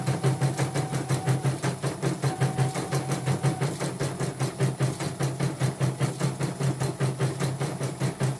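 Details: Portable embroidery machine shipped from Sekayu, South Sumatra with complaints of no embroidering, blank screen, hoop not positioning and dead touchscreen; test stitch after mainboard, LCD and touchscreen work: even rhythmic stitching about three to four stitches a second, no skips or grinding; normal stitching.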